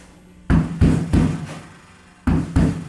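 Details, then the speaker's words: 1965 Mustang body on a 1996 Honda Civic chassis, rear panel knocked after Dynamat sound deadening: short dull thuds with no ringing; the earlier dong rattle is gone. "the annoying dong rattle is gone which is pretty cool"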